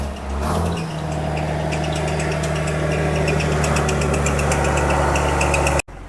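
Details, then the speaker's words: Diesel dump truck with a 10-speed transmission, inspected before purchase: fired right up with no cranking issues; steady idle with a light, regular clatter of about four ticks a second and no misses or knocks. Normal diesel idle. "That is pretty impressive. That it fired right up. You know, no issues cranking it"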